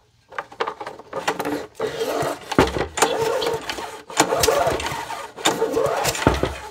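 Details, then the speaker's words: Abandoned 1990s DR walk-behind trimmer mower with a rusty Briggs & Stratton engine that has sat for years. Several recoil rope pulls, each with a firm, even chuff over compression; it does not start yet. Good compression. "pretty good pretty good compression"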